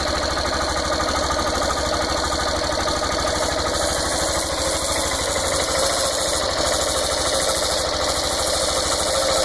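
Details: Yamaha Fazer 150 motorcycle at idle: quick, uneven tapping knock over the single-cylinder beat, two or three per second. A dealer mechanic worked on the cylinder head without fixing it and said the bottom end needs work.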